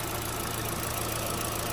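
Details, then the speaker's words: 2012–2018 Chevy Sonic/Cruze, 1.8 non-turbo Ecotec, brought in for a rough idle, just restarted after the fix with the scan tool hooked up: smooth, even idle with no misfire or stumble; a normal idle. "okay engine's running"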